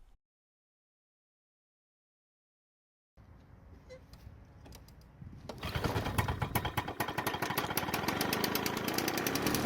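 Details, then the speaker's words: Lawn-Boy 2-stroke mower, before repair: after a few pulls it catches and jumps straight to a fast, buzzy, steady run that never settles; engine speed stuck too high and can't be changed. "the problem is that it starts and runs, but the owner is complaining that the engine speed is too high and they can't change it."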